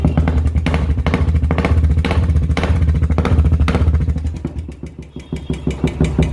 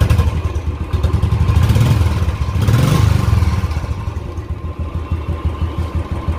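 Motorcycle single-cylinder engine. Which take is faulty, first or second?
first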